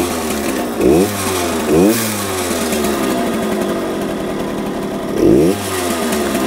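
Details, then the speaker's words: 1966 Harley-Davidson Aermacchi M50S two-stroke, owner thinks it runs rich and shut off the fuel to burn fuel out of the carburetor: uneven, surging, hunting idle, struggling to stay running; rough idle. "now I've got the gas off like I said I think it's running rich I've shut the fuel off Let It Burn some of the fuel out of the carburetor"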